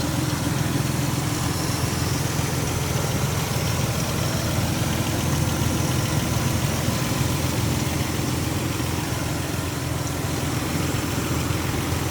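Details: 2004 Nissan Xterra 4x4, 3.3-litre petrol V6, idling, heard from outside after exiting: deep, slightly raspy rumble with faint puffing; small exhaust leak noted by seller.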